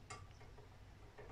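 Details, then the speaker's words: Piaggio Ciao with 65cc Polini two-stroke, cold, crank turned slowly by hand during ignition swap: loose metallic clacks; suspected excessive play in crankshaft bearings, leading to engine teardown. "donc là j'ai bien peur que on se retrouve avec un trop de jeu dans les roulements le bruit qu'on entend"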